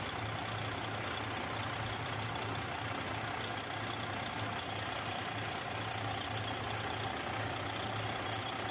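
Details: Detroit 60 Series diesel after heater hose replacement and coolant refill, running for a leak check; even, steady idle with a low beat about three per second, no knocks or misses; normal idle.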